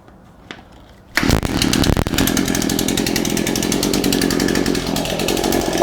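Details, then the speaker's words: Shindaiwa AH242 hedge trimmer, which only accelerated when choked, after carburetor and tune-up repair: catches at once after a pull and holds a steady rapid buzz at high revs without bogging; running properly. "we got all the pieces installed it runs pretty well"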